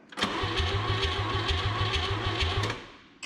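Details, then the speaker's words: 1959 Chevrolet Biscayne with the 235 six, unrun for about 40 years, spark confirmed: the starter churns evenly at about three pulses a second but it never fires. Flooding is suspected; compression is low. "With choke? Probably flooded. Without choke, wide open. Double checking spark. Still got spark."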